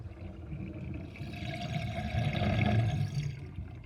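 Irregular bubbling gurgle of water gulping down the drain, low and throaty, swelling midway then easing off as it empties.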